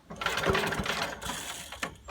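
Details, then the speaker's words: 1980s Billy Goat vacuum small engine, old turpentine-smelling fuel replaced with fresh gas, carb cleaner sprayed: quick rope pull spins it but it never fires, no spark seen though it ran the day before; cranks but won't start. "doesn't seem like it's sparking which I don't understand it did yesterday"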